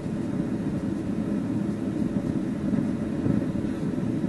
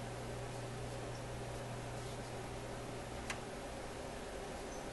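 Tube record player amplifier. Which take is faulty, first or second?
first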